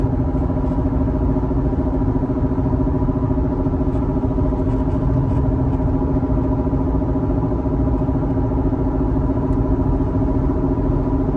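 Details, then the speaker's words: Test drive on a bad wheel bearing driven almost 2,000 miles, accelerating through about 20 to 70 mph: a steady droning hum over road noise at highway speed from the failing wheel bearing. "I went no lie almost 2,000 mies with a bad uh wheel bearing so you going to hear how it sound"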